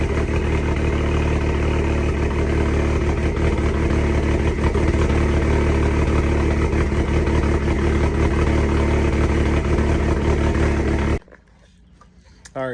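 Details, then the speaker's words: SRT-4 with a straight-pipe exhaust: loud, raspy, unmuffled idle with a steady choppy cam lope for about eleven seconds before shutting off. Normal, running fine. "Sounds so much better with that exhaust. It's just a straight plate. You can hear that cam a lot better with the straight pipe."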